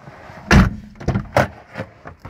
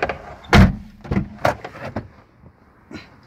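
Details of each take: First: ZAZ Chance car door opened and shut repeatedly after cleaning and working the squeaky hinge with throttle body cleaner: only clean thuds and latch clicks, no creak or squeal, and the squeak is gone. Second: Door hinge on a ZAZ Chance squeaks loudly: a few short dry creaky groans with thumps as the door swings and shuts; cleaning and working the hinge with throttle body cleaner stops the squeak.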